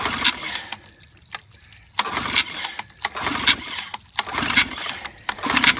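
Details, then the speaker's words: 1955 Evinrude 7.5 hp fleet twin outboard being restored with new coils, a replacement carburetor, a single-line fuel conversion and spark plug wires swapped for firing order: short sputtering bursts about a second apart on each pull; it fires briefly but won't keep running. "stay running long enough I'd know how to adjust the needle"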